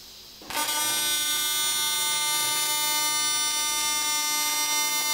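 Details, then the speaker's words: AC TIG welder at 300 Hz AC frequency with balanced settings: arc strikes abruptly into a harsh, steady, high-pitched buzz that holds dead even; normal high-frequency AC TIG arc giving a narrower bead. "what that does is giv you a smaller narrower bead because that Arc has to go back and forth 300 times a second so it's time on the par is a much narrower space right"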